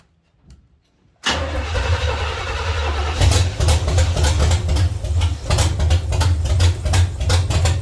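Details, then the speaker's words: 1970 Chevy C10, small block 305 V8, after intake and carburetor change: catches, then idles lumpy with uneven surges and dips, struggling to stay running; misfire from the distributor cap center button having broken and fallen out. "I've never seen this happen this is the button on the center of the distributor cap it broke and came out of there I I don't I never ever seen that I don't know what the heck no wonder thing wasn't run right"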